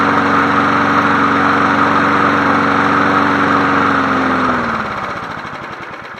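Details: 1981 John Deere NO20K push mower with its old original Champion plug, free and running, tilted up to blow smoke out: smooth, steady buzz at an even pitch, idle smooth, winding down cleanly at shutdown; healthy engine, normal running.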